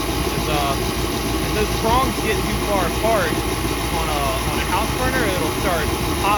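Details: 40-year-old kerosene torpedo heater that used to misfire and shoot fireballs, just plugged in, warming up: steady even burner roar with no pops or bangs, burning cleanly. Normal running.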